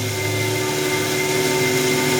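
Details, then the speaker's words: Long-reach end mill in a collet cutting a bearing pocket at full depth of cut in RWL34 blade steel: steady shrill cutting whine over harsh hiss, overloaded and getting hot until it breaks, from deflection and chip packing. "it's full depth of cut getting hot a crap ah I broke [Music] it Wow broke a 360 in C mil with a Callet well let's stop it"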